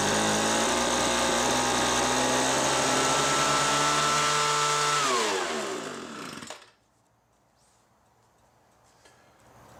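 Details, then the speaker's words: Homelite MightyLite 26b leaf blower (UT08520) after two carburetor and fuel line kits and warm mixture-screw adjustment: smooth, steady high-revving buzz winding down cleanly at shutoff, no bogging; normal running after repair. "say this was successful on those adjustments I'm actually very satisfied with how this repair went"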